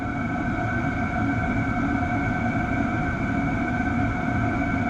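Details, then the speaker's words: Hcalory TB1-SE diesel heater running normally after being turned down to level 3 via the app, in 8°C ambient air; steady, even whirring hum over smooth combustion rumble, no surging or knocking. "Okay, I can hear it. I can hear it cooling down. So it's definitely slowing down to 3."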